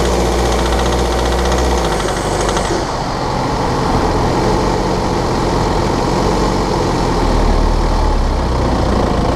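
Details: 2013 BMW 520d F10/F11 N47 diesel, cold and under load at 1500 rpm: rough, uneven rattling tick about four a second over the engine note; faulty injector, pinpointed with ISTA test.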